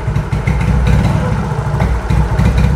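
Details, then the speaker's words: Old-type Yamaha X-Ride scooter showing MIL code 46, idling unevenly and stumbling, beat sagging and catching; weak start, lights flicker from unstable battery power, engine stumbles and dies; low supply voltage from the battery suspected before the TPS. "nah Li teman-teman lampunya aja berkedip itu menandakan kurang stabil ya powernya kurang stabil maksud saya power ee aki"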